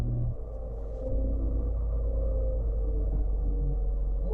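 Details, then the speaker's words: 2006–2012 Toyota RAV4 after fuel pump replacement and refitting the missing housing O-ring, final test start at about 10 degrees outside; low smooth steady rumble settling right after starting, normal idle. "sounds good so far"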